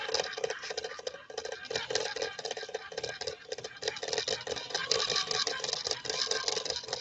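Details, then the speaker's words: "Swedish Beauty" sewing machine, motor running on arrival and getting very hot, clutch disengaged and re-engaged: harsh, rapid rattling grind many times a second; something in the drive rough and binding. "That does not sound good, does it? Listen closely. That's not the way a Swedish Beauty should sound."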